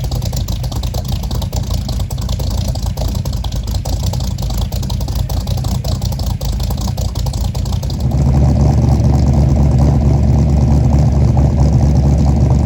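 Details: 1964 Mercury Comet V8, freshly built with FloTek 180cc aluminum heads, Trick Flow Stage 1 cam, Victor Jr. intake and 1-5/8" headers, first start: lumpy, uneven idle rising to a heavy drone; owner suspects fouled plugs, smoke, and too-rich idle from mismatched carb springs.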